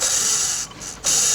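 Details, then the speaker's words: Mercedes A200/B200/GLA200 1.6 turbo, removed water pump spun by hand: dry, gritty ratcheting rasp fading as it slows; worn water pump bearing, the engine noise complaint. "o barulho Imagina isso aqui em 1000 RPM Esse é o barulho beleza"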